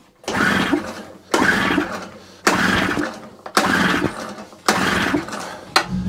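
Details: Small two-stroke generator (40:1 mix) that had sat unused, fuel tap just turned on for fresh fuel: five recoil pulls about a second apart, each a brief whirr dying away with no firing; cranks but won't start, spark plug checked next.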